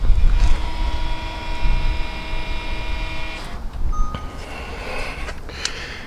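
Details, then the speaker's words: VW Golf GTE rear brake job: running VCDS ABS basic settings retracts the electronic parking brake motors. A steady electric whir lasts about three seconds and stops cleanly. A flashing dash light confirms the motors are disengaged; normal retraction. "right and so that's now finished the motor has been worn back and we can see on the dashboard that there is a flashing light so that tells us that the motors are not engaged"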